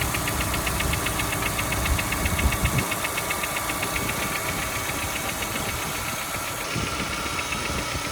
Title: Golf V 1.6 BSE engine knocking noise